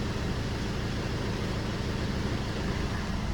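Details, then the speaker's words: Maruti Swift diesel idling, heard inside the cabin: heavy steady low hum with strong body vibration and mirror shaking, caused by worn-out engine mounts (engine/gearbox beds) needing replacement. "അപ്പോൾ കൂടുതലായിട്ട് ഈ complaint വരുന്നത് ഇതിൻ്റെ എൻജിൻ്റെ bed പോകുമ്പോഴാണ് ഈ കൂടുതൽ ഇതിൻ്റെ complaint ഇങ്ങനെ വരുന്നത്. അതല്ലേ മിററൊക്കെ കിടന്ന് ആടുന്നുണ്ട് കേട്ടോ. ഇത്രയും വൈബ്രേഷൻ ഉണ്ട് ഇതിനകത്ത്, ഉണ്ടല്ലേ."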